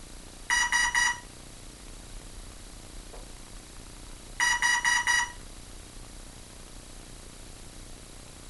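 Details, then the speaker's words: Hobbyking F4U Funfighter with a FlySky six-channel receiver bound to a Turnigy 9X. Groups of four quick high beeps repeat every four seconds from the speed controller, motor silent, throttle doing nothing while other controls work. Owner suspects a faulty speed controller; unconfirmed. "if anyone out there knows what those beeps mean give me a holler i personally think speed controller is trash"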